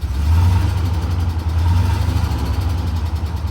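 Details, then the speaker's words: Auction truck revved while warming up: deep, heavy rumble with an uneven, lumpy pulse; the whole truck vibrates and skips. Possible engine knock or vibration, unconfirmed. "Man, that sounds like it might be a it sounds like it actually might be a knock or some kind of vibration. I mean, the whole truck is vibrating. You can tell it's skipping, but I just don't know if that."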